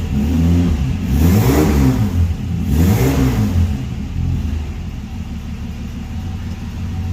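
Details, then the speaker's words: RB30 engine in a Nissan Patrol GQ, cold day, just started: two clean rev blips rising and falling smoothly, then an even idle, normal running. "There we go, idling away there now. Still running good."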